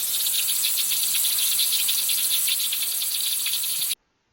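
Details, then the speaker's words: Exterior-wall water leak, Ilsan-dong-gu: the pipe was drained and pressurized with air, and the steady, sharp, high-pitched hiss with a faint flutter is heard at the exposed leak point under styrofoam-insulated soil; it would be inaudible from the surface. "그러니까 물을 다 빼고 에아를 집어넣어요. 에아를 집어넣어서 누수음이 있거든요. 소리로 듣는데 그거 이제 누수 탐지기로 찾는 건데요."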